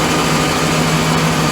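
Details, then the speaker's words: Volvo Penta 5.0 GXI-C marine V8 in a 2003 Chaparral Sunesta 242, after installing MarineTorq stainless manifolds and risers: a steady, smooth idle with an even low hum and no ticking or exhaust puffing. All leaks are fixed. "look at that shine and listen to that growl this thing's working great all the leaks are taken care of"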